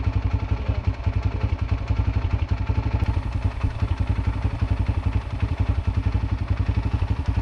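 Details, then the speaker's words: Yamaha TT-R125 dirt bike revived after about 10 years in a barn, warmed up: even single-cylinder thumping holding a steady idle while smoking heavily, normal idle. "Well, listen to that baby just sit there and purr and smoke like a chimney."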